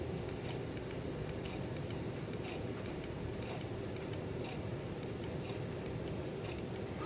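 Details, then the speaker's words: Early-style Mercedes 300SE throttle body (non-ASR, cruise control and idle speed control) on the bench: crisp metallic clicks, the idle micro switch clicking before the lever touches the edge; switch working properly. "i don't know if camera picks it up but you hear a metallic click i'm not touching the edge as you can see click has to happen before lever touches the edge"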